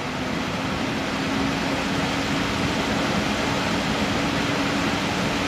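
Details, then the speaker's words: Corsair H100 liquid CPU cooler fans switched from low back to maximum; steady airy rush with even hiss and faint constant hum underneath, no rattles or ticking, a fair bit louder than low; fans at full speed. "fair bit of difference there. Back off again."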